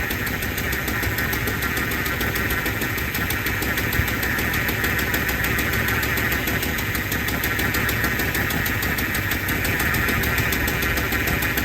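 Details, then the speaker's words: 1975 Lincoln Continental V8 idling after the cooling system rebuild, with a thin power steering pump whine over the engine; fluid was topped up and air is possible, and the pump may need replacing. "Power steering pump is not happy. They end up having to put a power steering pump on it."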